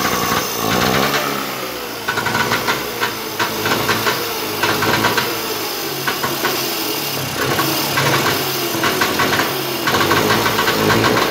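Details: Trabant Tramp/Kübel two-stroke on its first start, smoking: busy, crackly running with fast uneven putter and repeated revving blips; alive and running normally.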